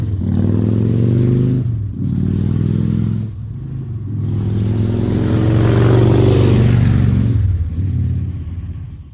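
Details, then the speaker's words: Salvaged 2000 Harley-Davidson Fat Boy V-twin, after flood restoration from 5 days submerged in Hurricane Ian floodwater: lumpy beat swelling and dropping with throttle blips, pulling up cleanly, no knocks or misses; finally running and fixed, healthy. "yeah all right so finally she is running she is fixed"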